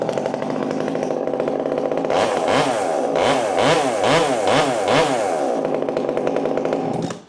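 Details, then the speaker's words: Husqvarna T540 Mark III top-handle chainsaw, ported, still hot, during break-in: crisp two-stroke idle, revs up and down cleanly several times and drops back without bogging; runs strong. "Uh it runs good. Let's get 10 tanks through it and then we'll give it an honest review and I got some jobs coming up."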